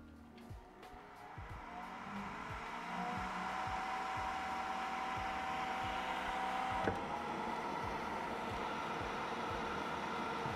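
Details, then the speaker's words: Creality K1 side cooling fan fitted with a 3D-printed 70 mm resonance-chamber muffler: smooth fan whir that climbs gently then holds steady, no rattle or scraping; noise down to about 63–64 dB, blocking most frequencies, fan running normally. "overall we're down to about 63 DB 63 64 [Applause] maybe and again it's blocking most of the frequencies but a bit higher as well"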